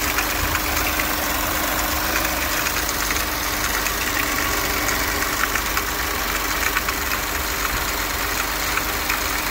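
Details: Audi RS5 2.9 engine, February 2019 build, 78k miles, at idle: fast light ticking on top of a steady idle at a constant rate; owner suspects rocker arms; engine ticking.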